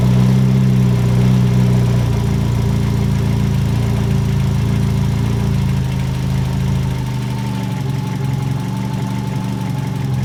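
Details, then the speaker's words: Ford Escort GT idling just after swapping to a BP4W head (original head pulled for a stripped plug hole): steady even low drone, no ticking or clatter, much quieter than before; swap judged a success, timing not yet set. "that is so much quieter if the solid lifters in there well anyways we'll call that a success"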